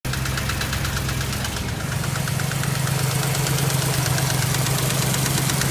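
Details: BMW X5 engine at idle: quick, fairly regular knock close to three a second over the idle; engine knock of unknown cause.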